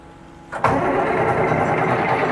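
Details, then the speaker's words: John Deere 544B wheel loader on its first start in 23 years, with new batteries and ether: half a second of quiet, then a sharp catch and a steady, rough diesel clatter right away; the engine fires and keeps running. "dude that's incredible literally 23 years maybe i had a fuel leak not a hydraulic leak that is awesome"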